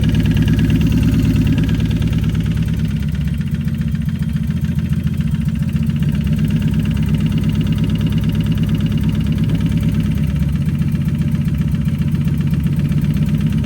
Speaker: Okay, well that noise came back. I'm pretty sure that piston is still hitting something in there, because you guys have seen the photos.